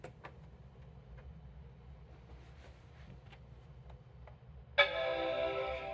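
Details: Apple PowerBook 1xx with a restored AC adapter: faint hiss and light ticks, then at about five seconds a bright, sustained chord rings out; the laptop boots and chimes normally.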